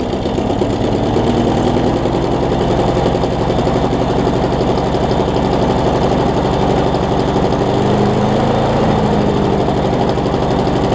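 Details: Craftsman push mower with Briggs engine after new carburetor, flywheel key, pull rope and lapped valves, started with starting fluid, carb now priming; water found in it: fast, steady single-cylinder beat holding speed evenly; normal running.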